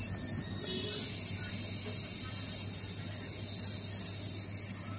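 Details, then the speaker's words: Polytron 24-inch LED TV power supply starting from standby, heard up close: thin high-pitched whine with steady crackling buzz from the switching transformer; TV works but noise bothers the owner. "Nah itu tuh ya cuman suaranya seperti itu teman-teman ada suara berderik eh kita akan lihat ya sumber suaranya itu Ini ada di trapo switching ya teman-teman ya saya dekatkan lagi"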